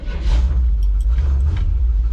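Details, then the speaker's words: 1964 International Harvester C900 rat-rod truck started after fixing vacuum leaks at the front and back: it settles into a steady low rumble with no hissing left. "Hey, no more hissing at me. Yeah, come to find out, we had hissing at the front and hissing at the back."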